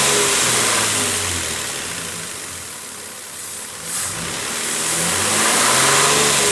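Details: 2007 Nissan Frontier petrol engine idling and revving smoothly after dealer repair, with no whine rising with the revs; the earlier whining was fixed by replacing the camshaft timing chain, tensioner face, O-ring seals and front crankshaft oil seal.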